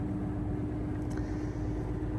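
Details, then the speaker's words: LG 10.5 kg washing machine at full spin after gluing the parts behind a two-year knocking problem: steady even hum with no knocking, only a faint rattle from the unscrewed lid; normal spin. "LG is no longer knocking. Finally, we didn't have that horrible loud knocking. It wasn't too bad when it wasn't at full spin, but when it was at full spin, it was it was too loud. But it's nice and silent again, which is nice."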